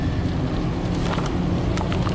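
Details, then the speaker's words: 2007 Honda Fit, 130k miles, driving after cleaning all ignition coils and boots to cure a misfire under load uphill: steady, even low engine hum with no stumbles; misfire graphs perfect, all cylinders firing. "so after cleaning all the coils and the boots we have absolutely perfect misfire graphs here the car drives like a dream"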